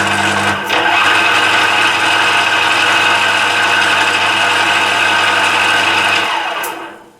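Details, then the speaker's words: Emco Maximat V10-P lathe gearbox after cleanup and shear pin fix, run through speeds from 60 rpm upward: even whirring gear whine holding steady then winding down as the spindle stops; some speeds slightly rattly but it sounds acceptable, normal. "you know we don't sound too bad to me"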